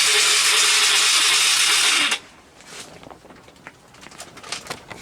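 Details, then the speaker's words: Four-wheeler (ATV) that sat for years, cranked on a fully charged battery with the spark plug already removed. It spins over fast and evenly with no compression pulses. "see now if you can listen you hear it crank over really fast don't sound like it has any compression"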